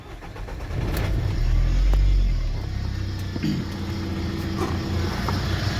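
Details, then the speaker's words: Renault Master diesel starting and idling with an uneven low knock and rattle. The pump has already been replaced; the owner suspects a pulley or air in the system, and running with the belt off didn't help. Cause unknown. "Então galera esse ali é o barulho ali não sei o que que é já foi trocada a bomba"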